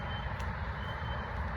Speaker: it's just ear piercing and it's kept me up since four o'clock this morning and i cannot get away from it